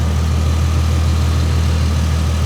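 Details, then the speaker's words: V6 car, apparently running without mufflers, recorded at idle from under the hood: a steady, deep, even idle with a loud open rumble and no knocks or misses. It is a normal, healthy idle. "But look how steady the engine is. I think some kid owned this and really took care of it."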